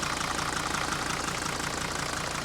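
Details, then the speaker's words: 1980 Mercedes W123 300D diesel from a scrapyard, sat a while, only a new battery fitted, bonnet open: even, steady idle clatter with regular ticking pulses, no uneven knocks; sounds healthy. "Looks like a 300D motor. Sounds like one too."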